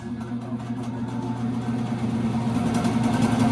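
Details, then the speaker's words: Carrier oil-fired furnace in a commercial warehouse, blower run with the failed control board bypassed: a steady low drone with a rough, uneven buzz; noisy furnace blower motor, worn and to be replaced along with the board. "we're going to replace that fan motor too because based on its its sound and then this board is going to be bad"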